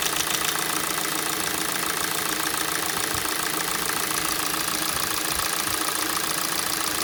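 A fairly regular sharp ticking knock, roughly three to four per second, rides over the cold idle; it is a cold-start engine knock.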